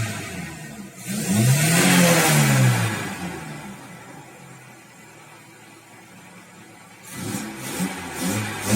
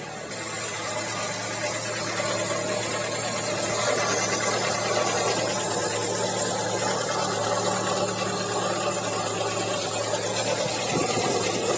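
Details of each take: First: Audi 100 C3 1.8 with a Pierburg 2E carburettor after fixing its cold-start problem; the camshaft seal leaks and a knock is shown separately. It revs up smoothly, falls back and holds a stable 980 rpm idle without hunting. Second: Audi 100 C3 1.8 with Pierburg 2E carburettor, half warmed up, idling stable at 980 rpm: light, somewhat irregular tapping over a hissy background; top-end ticking of unknown cause; camshaft seal leaking.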